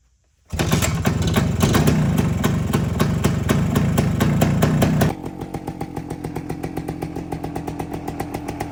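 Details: 1973 Suzuki TS250 Savage two-stroke single, barn find after 25 years, oil flow confirmed, on regular gas before first ride: loud crackling rev settles to crisp, even ring-ding idle with steady firing; normal two-stroke running.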